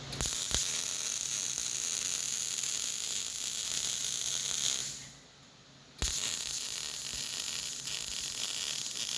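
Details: Short-arc MIG welding with .045 wire: steady, fast, bright crackle like frying bacon, with a one-second pause between beads; stable, normal short-circuit arc.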